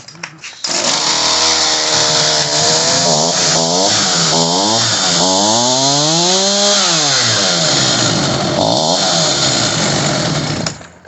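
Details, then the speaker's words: Homelite 3514C chainsaw after turning the carburetor high-speed screw: revs climb and drop unevenly, never holding steady; runs better but now won't idle, idle screw may need raising. "Alright, that worked a little bit better. I was going to try to adjust it while it was running. I'll turn it a little bit more. Try it one more time. Alright, so now it doesn't want to idle."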